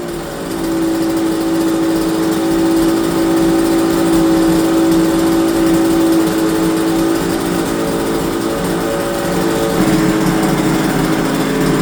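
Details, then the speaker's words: Yamaha TZR250 3MA two-stroke that wouldn't start until old fuel was drained from the carb bowls: crisp, steady buzz at an even note, picking up cleanly on throttle; running normally. "But after spending 5 minutes draining the old fuel out the carb bowls, a beast was born."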